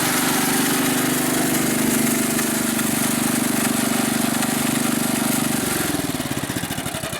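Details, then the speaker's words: 1964 Snowbird S.263 snow blower after repairing a broken kill wire. The small single runs steady and even, then cuts cleanly when throttled down to stop and coasts to a halt with slowing pulses: healthy running and shutdown. "and our kill wire fix solved the problem so now when he goes to throttle it down into the stop position it shuts the engine off"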